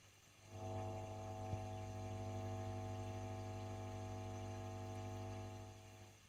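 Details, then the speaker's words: Valve guitar amp (rectifier and output valves changed, reverb driver swap made no difference), recorded with a second microphone: loud, steady buzzy low hum rises as the reverb control is turned up. "But, as yet, as we turn that reverb control up, we get quite a nasty hum."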